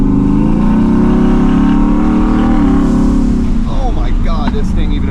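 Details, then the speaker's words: Twin-turbo Shelby F-150 after custom exhaust with muffler installed: muted exhaust tone climbs under throttle, then fluttering whoosh on lift-off as blow-off valves vent, louder than the now-quiet exhaust. "Mission success invisible literally the blowout valves are louder than the exhaust like quite literally"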